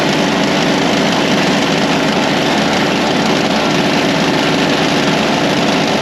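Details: Toro Power Lite snow blower, about 25 years old, idling in a garage at about 66° (30° outside) after a new primer bulb replaced the dry-rotted one that stopped it starting; steady, even buzzing idle with no misses or surging, back in service.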